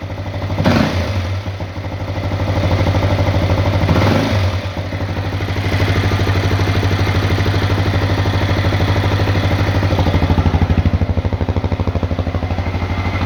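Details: CRF250L single-cylinder at idle: a regular clattering knock, about three per second, over the low thump; knock from inside the engine.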